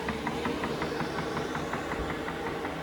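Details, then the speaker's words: Chinese diesel heater running about 30 minutes, before a simulated power cut; steady soft ticking about twice a second from the dosing pump over a low fan hum: normal fuel pump ticking. "Okay, there's the heater. You can hear the pump knocking away there."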